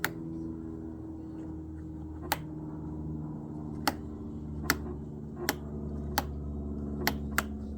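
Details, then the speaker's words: Hessaire MC37V evaporative cooler, used many years, switched on: faint steady buzzing hum but the fan motor does not turn; capacitor to be tested first, fan motor later replaced. "I don't know if you can hear that, it's buzzing a little bit, but the uh fan motor is not turning on."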